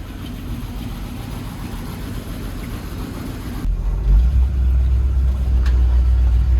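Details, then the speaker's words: Jeep J10 truck with 401 V8, revived after 29 years parked, after a fuel tank swap, new mechanical fuel pump and ignition fix, driving off-road: deep, even rumble with no knocks or misses; normal running. "Yeah, she's running. I'm out back just driving over my back 40 doing a little tooling."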